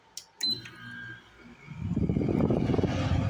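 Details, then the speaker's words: Window air conditioner: a couple of clicks, then only an airy fan rush with no compressor hum underneath; the compressor is dead, so the air is not very cold. "not very cold air because the comp p is dead on it you can't even hear it rely but the fan operates in it"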